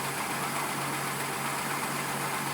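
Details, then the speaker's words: Carbureted car warming up after brake work, spark plugs gapped and vacuum lines plugged; smoothest warm-up idle yet, even low hum without misses, knocks or hunting, though it still bogs and dies with a little throttle. "so she's warming up right now and this is actually the smoothest I think I have ever heard her uh just warming up so who knows maybe I did something right"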